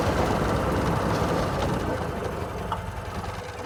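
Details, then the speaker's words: Golf cart small petrol engine idling after replacing blown exhaust gasket: steady low thump about four times a second, quiet with no exhaust ticking; normal idle after repair. "finally we get start it and see how it sounds key on start so much Qui sounds perfect"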